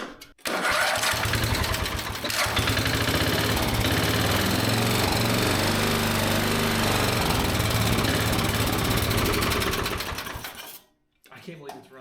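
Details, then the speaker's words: Small single-cylinder engine, unrun for an estimated 20–25 years, fires up and runs fast, slightly uneven for about ten seconds then dies; owner suspects mixture screw choked it out, carburetor mixture needs adjustment. "All right, let's mess with the fuel mixture. Let's make sure it's getting enough gas and air. I believe when I put this screw back in, I might have choked it out."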